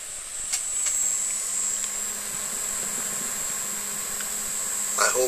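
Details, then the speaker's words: Duratool ZD-915 desoldering station cooling fan after the speed-control upgrade, running at low speed. Soft, steady airy hiss with a faint high whine and no rattle or ticking; very quiet and working normally. "hope you can hear this but this is about as loud as the fan gets obviously as the fan is going to run a bit faster it will produce a little more noise right now it's really quiet absolutely quiet everything seems to work normally"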